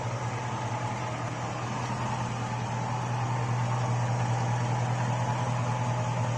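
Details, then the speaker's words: V8 with stock GM lifters replacing Comp Cams units, about 12–14 hours on them, 5W-30 synthetic, hot idle after driving on a 89–90°F day: steady idle with faint quick light ticking; lifter noise, loudest when oil is hot. "the hotter it gets the hotter the oil gets the thinner the oil gets the more you hear them"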